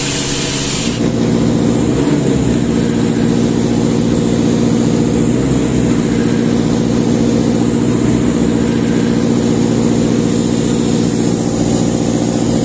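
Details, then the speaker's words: Sullair 260 diesel compressor under load, poorly maintained, burning smell: heavy labouring drone with uneven beat, never picking up speed, not reaching pressure; speed control problem from misadjusted speed regulator; engine bogging. "tenemos un problema con el control tenemos un problema con la velocidad no estamos alcanzando la presión"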